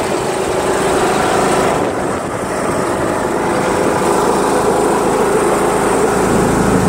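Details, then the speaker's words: John Deere L100 lawn tractor with Briggs 1742 engine, driven around the block with the mower deck installed after the PTO cable was loosened. An even, steady engine drone with wind and ground noise, no knocks or misfires. It starts easily, runs great and barely vibrates. "this thing runs great always starts up great and you know what I think it's gonna mow really well too because it spins really well and it doesn't really vibrate"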